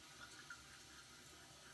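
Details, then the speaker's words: Fluidmaster toilet fill valve, old seal cleaned, tested with the float detached: steady hiss of water still flowing after it should have shut off, coming out quite a bit; the seal is likely bad. "okay right now the water should be off but you can hear it's still running and it's coming out quite a bit down there so I think that even though I clean the seal I I likely have have a bad seal"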